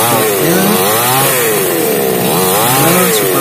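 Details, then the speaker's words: Small hard-starting chainsaw after repair, restarted with choke cycled: crisp two-stroke buzz rising and falling cleanly with throttle blips, no sputter or bogging; now runs normally. "Mesin ini sekarang sudah normal, tidak ada masalah lagi."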